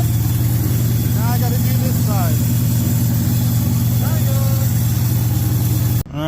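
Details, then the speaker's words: 1967 El Camino small-block Chevy 355 with Vortec heads and a big hydraulic cam, after fitting guided PRW 1.5 full roller rockers and adjusting the valves, run with the valve cover on one side. Even, steady idle with no ticking; no rocker hitting heard. "So I ran it with the valve cover on this side. I don't hear anything hitting."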